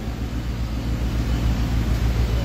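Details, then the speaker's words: Mitsubishi Mirage after engine rebuild, 255,412 on the clock, idling around 800 rpm with air conditioning on as load during break-in: steady low drone with even pulse, no tapping or knocking; normal idle under load. "Ayan, naka-aircon yan, mga boss. Pre-share ko na yung makina para mapadali yung break-in. Linagyan ko na ng load."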